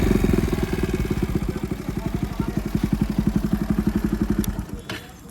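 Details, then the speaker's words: Single-cylinder motorcycle with newly refitted engine after a seizure, being run in gently: even putter at idle, steady and clean with no knocking or misfire, then shut off. Owner says it is fully fine; normal healthy idle. "তোমালোকৰ বাইকৰ মই চাউণ্ডটো এবাৰ শুনাই দিছোঁ এতিয়া মই rest দিব নোৱাৰিম কেইদিনমান মোক লাহে লাহে চলাবলৈ দিছে পূৰা ঠিকে আছে"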